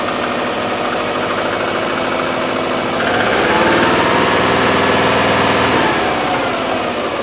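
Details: Subaru Legacy twin-turbo petrol engine idling and revving: a steady engine knock pulsing through it about four times a second.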